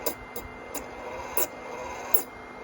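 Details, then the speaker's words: BIQU B1 3D printer: steady rough rasping whir with faint thin tone from one internal cooling fan; noise stops when that fan stops, bearings worn, fan to be replaced. "When that fan stops, the noise stops. So it's like the bearings are shot. I just need to replace it."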